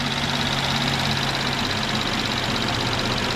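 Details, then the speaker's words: 2012 Mercedes C350 3.5 V6 after serpentine belt, tensioner and idler replacement to cure a squeak: steady, smooth idle with light quick ticking from direct injection, normal, no knocking or belt squeal; normal idle. "if you wondered, that little ticking sound in these engines, that's a direct injection, so that's totally normal. Your engine's not knocking or anything."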